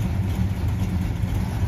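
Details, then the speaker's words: 1976 Dodge Dart Swinger 340 V8 idling just after starting, following small tune fixes: deep, even, lumpy burble with no ticks or misses; a happy, sweet-running engine. "yep that's a happy machine a chorus of 340 noises"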